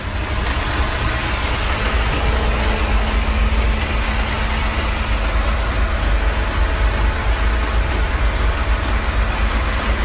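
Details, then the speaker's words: Chery Tiggo on natural gas (GNV) after throttle-body cleaning with WD-40 for an idle problem: a steady, even idle with no speed swings and a faint constant whir; no longer stalls, though a clutch seal fault still hurts it. "motor do carro tá muito mais certinho claro que esse negócio aí que tá pronto o retentor da embreagem prejudica muito né"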